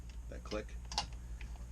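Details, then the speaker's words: Boat throttle/shift control during shift cable replacement, after graphite dry lube was sprayed: crisp, distinct clicks as the lever snaps through each detent (adjustable by a detent screw), with no grinding. The detent feels healthy. "and this little screw here is for your detent you can hear this this noise noise"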